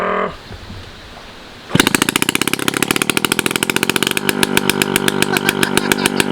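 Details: 1985 Yamaha QT50 two-stroke scooter, muffler removed to rule out an exhaust blockage: fires loud and crackly, pops along steadily with only a slight lift and will not rev up; cause eventually found.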